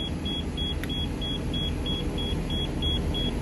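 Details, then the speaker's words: 2014 Thor Palazzo XCS motorhome, Freightliner chassis, Cummins diesel idling in neutral during air-system desiccant filter job: high beeps about three a second over low engine rumble, low air pressure warning while airbags refill; pressing brake stops it. "wait that's for sure because I'm in neutral I push the brake like that it'll stop beeping"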